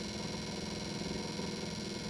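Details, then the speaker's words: 1977 Cadillac Eldorado HVAC blower motor: a steady motor drone with a rhythmic wobbly, wavering hum instead of a clean whir, not grindy and not the high pitch of the AC compressor; worn blower motor bearings, replaced with a new motor. "As you guys could hear, that wobbly, kind of wonky sound, it's a sign that something is off."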